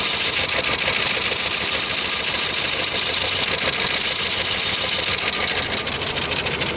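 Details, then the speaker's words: Opel Vectra 1.8 16v petrol driven hard on the autobahn without oil: fast, busy clatter through the idle at roughly three knocks a second; engine knock, suspected piston rings or piston damage. "Человек ездил без масла на автобаме, гнал, не обратил на уровень масла. Вот так теперь работает мотор. Походу ему кердык."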